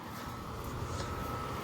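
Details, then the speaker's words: Brand-new Goodman air conditioner condenser running, a neighbouring unit to a rusty 2017 Trane XR14: steady even hum with a faint constant tone, no knocks or rattles; normal running. "Yeah, I just wanted to show you Here's a brand new Goodman right here. Just running."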